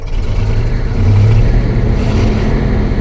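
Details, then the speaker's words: Ford F250 with a 302 V8, sat 12 years, first run: deep, uneven V8 rumble with a choppy, stumbling beat, clearly misfiring; running but not pretty. "it works it works definitely miss firing a"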